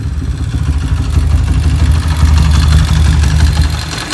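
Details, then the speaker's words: Motorcycle after fitting EDO E2 camshaft and timing chain: rough, lumpy running as revs rise, choppy ticking over a deeper exhaust beat; more power but harsh valve train noise, cause uncertain (owner wonders if valve springs are bottoming out). "Dan inilah hasilnya, teman-teman. Suaranya sangat kasar dengan E2, Bro. Anda pasti bisa mendengarnya. Lihat, suaranya benar-benar kasar."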